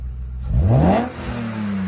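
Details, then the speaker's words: BMW E36 M3 S52 engine, first start and rev after project work: quick clean rev climbing smoothly toward redline and dropping back without misfire, knock or rattle; earlier lifter tick gone, healthy free revving. "oh it sounds so good it sounds better than that one it does sound better than that one oh my gosh so i just want to point out i revved it for real and listen to the lifter tick it's gone"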